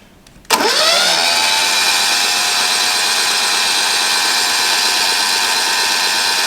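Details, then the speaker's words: Yanmar 3GM30F marine diesel being overhauled, cranked on the starter with valve lifters opened (decompression) to check oil pressure before starting; fast, even starter spin with no catching, normal decompressed cranking. "We have now opened the valve lifters to get faster turning."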